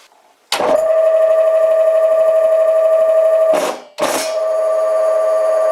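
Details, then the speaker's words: Vintage lathe's two-speed Dahlander motor switching from 4-pole to 8-pole: steady, even hum with no knocks that drops out briefly, then spins back up smoothly on the slow 8-pole winding. Normal running. "lets also quickly listen to this 2 speed motor it switches between a 4 pole and a 8 pole configuration. it's also known as a dahlander and trust me you will know which one is the 8 pole configuration"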